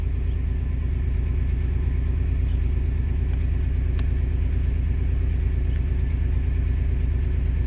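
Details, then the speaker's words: 2005 Pontiac Grand Prix with a failed ignition coil moved to another position, misfires now on cylinders 3 and 6. Barely starts and needs the accelerator held to keep running. Rough, loping idle with an even stumble about twice a second. "Okay, so it barely wanted to start. I had to hold the accelerator pedal just to keep the engine running."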